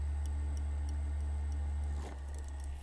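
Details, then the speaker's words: Computer fan model F1202512SM (12 V DC, 0.2 A) whirring with a regular tick about four times a second and vibrating badly, from a worn, loose bearing/bushing. Oiling the bushings is the short-term fix. "Okay, so let's power this up. I'll let you take a listen to it. That is how bad it actually sounds."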